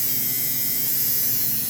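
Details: Old American Flyer Alco diesel AC motor being converted to DC with a prototype field adaptor, bench-run at about 6 volts. Constant high-pitched buzzing hum; some stiction at start. Suspected armature touching the magnet, not confirmed.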